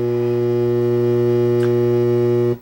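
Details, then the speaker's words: Blonder Tongue CAMS60 BTS stereo TV modulator with hum bars; loud steady fixed-pitch low buzz in audio, stops at switch-off; power-supply fault suspected, likely bad capacitor, not confirmed; mains hum in audio. "we have a serious case of humar here and well you can see them in the video the humar and um yeah it's it's humming in the audio"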